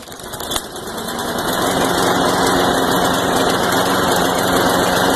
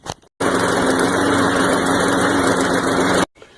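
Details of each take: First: Craftsman Ready Start push mower, Briggs & Stratton 6.5 HP, after carb clean and reassembly with fresh fuel: single-cylinder engine catches and settles into a loud, slightly ragged beat that never smooths out; hard start/no start history, rough running, cause not pinned down. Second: Craftsman push mower with Briggs & Stratton 6.5 HP engine after carb cleaning, tune-up and clearing an obstructed exhaust part, previously hard or no start: steady, even buzz with no misses or surging, clean start and crisp shutoff; running healthy.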